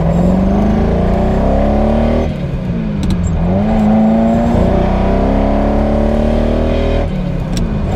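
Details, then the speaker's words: Ferrari 308 on its first road drive after a rebuild: the revs climb, then the note breaks up and stumbles unevenly under load. It misfires and is well down on power despite cleaned and then new spark plugs. The owner suspects the amplifiers under the coils. "Right, that is horrible. It's still running really badly."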